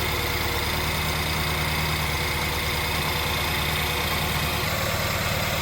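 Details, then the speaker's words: BMW 320i E92 N43 petrol engine after full rebuild, first start: smooth, steady even idle with low thrum, no knocks; faint high pressure fuel pump noise is normal; normal idle. "There you have it, nice and steady as it should be, ticking over."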